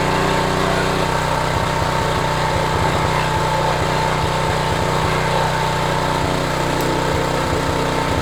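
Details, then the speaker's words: Homelite HGCA3000 3500 W generator, single-cylinder, after new carburetor and head gasket, under about 1,500 W heater load at a steady 124 V; steady governed hum with an even pulse and no hunting or surging; healthy running under load. "okay so right now it's under 1500 watts low heat full heat no problem"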